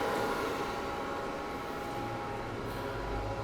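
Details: Tsugami grinder hydraulic pressure oil pump on first run after drain, seal and refill with fresh fluid; steady even hum with faint constant whine, no knocking or cavitation rattle, running smoothly and healthy.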